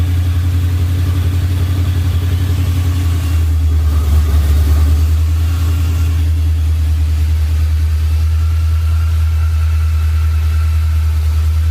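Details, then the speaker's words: Ford SVT Lightning V8 with 3.4L Whipple, forged block, and new Trick Flow heads and bigger cam, just restarted after the rebuild. Deep, choppy, lumpy idle that swells and settles, a rough idle attributed to the new heads and bigger cam. "truck sounds really really good it's going to have a little rough idle right now because we have new heads bigger cam"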